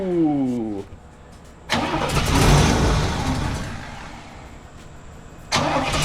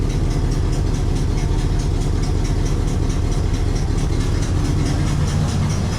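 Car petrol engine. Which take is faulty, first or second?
first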